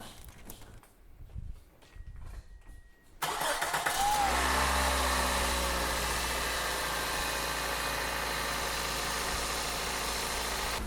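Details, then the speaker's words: 2000–2008 Toyota Corolla 1.8L 1ZZ-FE after valve cover gasket replacement: short crank, then a clean catch and a steady, even idle with no stumble or miss, and no misfire or check engine light; a brief rough idle from brake clean is possible. "Go ahead and fire it up. Check for any misfires. Look on the inside of the instrument cluster for a misfire or check engine light. There isn't any, so we're good to go."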